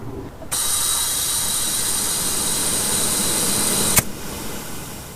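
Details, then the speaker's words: 2006 Subaru Impreza wagon, NA engine turbocharged, about 100,000 miles, boost leak test with shop air filling the intake system; loud steady hiss with a high whistle from the intercooler piping, where a rusted clamp broke. Boost leak. "Oh my gosh. Yeah, I can definitely hear a big leak, to say the least. It sounds like it's coming from my freaking intercooler too."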